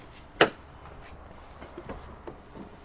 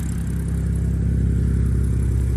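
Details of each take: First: 2013 BMW 328i E93 N51 cranking, no start: quiet then steady starter whir about three and a half beats a second, never fires; drained fuel found separated and contaminated. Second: 2013 BMW E93 328i N51 M-Sport six-cylinder after crank-no-start fixed by draining separated contaminated fuel and clearing fluid-contaminated combustion chambers: deep, even low idle rumble, no misfire, running nicely.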